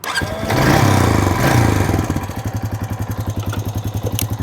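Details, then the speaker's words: Dodge diesel with its battery cables disconnected, started from an Autogen 4500A jump box on boost: it cranks briefly, catches, and settles into an even, steady idle pulse of about four beats a second. "and just like that we're rolling"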